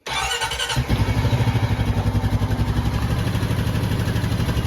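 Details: Honda Rubicon 520 DCT, first start after valve adjustment: short crank catches at once and settles into an even thumping idle around four beats a second, steady and clean, no valve tick.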